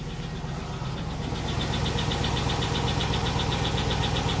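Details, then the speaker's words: 2002 Cadillac Escalade LS V8, cold start at 73°F after sitting overnight, after Seafoam, pushrod cleaning, flush and oil change: light steady tick about four a second at idle near cylinders 5 and 7; valvetrain noise persists. "So as you can hear, there is a little bit of valvetrain noise in the background. It is a cold morning."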